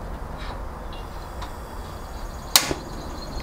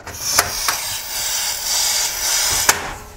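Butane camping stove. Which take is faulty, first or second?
second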